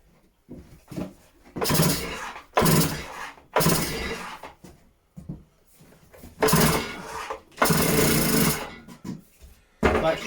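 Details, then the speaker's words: Stihl disc cutter, first start attempt on choke: several slow recoil pulls, each a rasping whir of about a second, with no catch or firing; it won't start, though it later fired straight up. "all right so there's nothing there don't even sound like it's firing"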